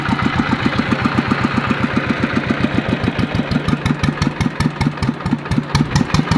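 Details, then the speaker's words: Yanmar TF115 LM single-cylinder diesel before repair, hard to start when cold: chugging at about eleven beats a second, slightly uneven and soft; runs but weak and lacking strength, pump plunger, injector and delivery valve to be checked. "ฟังตอนนี้ไม่ค่อยไม่สู้มือเลยครับ"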